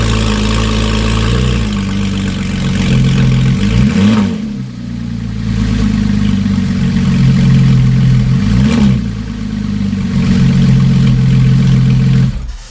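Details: Porsche 911 Carrera GTS 991.1 3.8 replacement engine, final run after a fuel-filter insert was replaced with a cleaned one from the spare engine. Even idle with two quick rev blips that rise and fall cleanly back to a steady beat. Smooth, healthy.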